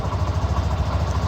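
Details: Mondial Fury 110i scooter single-cylinder: low even putter at idle, steady beat, no puffing or ticking from exhaust; normal clean idle.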